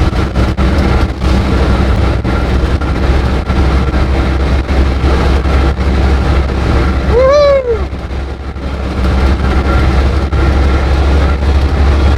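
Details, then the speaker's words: Invacar with CVT belt-pulley drive while driving: steady low drone, rough and uneven underneath; owner unsure whether pulleys are misaligned or one is too rough. "it just sounds horrible I don't know if the pulley are out of alignment if one of the pulley is just too rough but it's not good"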